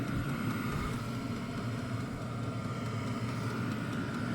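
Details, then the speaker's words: Hcalory HC2 diesel heater on its first test run in a garage, now burning after startup smoke and putting out heat; smooth steady roar with a constant mid-pitched whirr, the earlier tap-tap ticking almost gone; running normally. "Now she's burning with fire. So, let it run here for a couple minutes and go from there. It definitely cranking out some heat now."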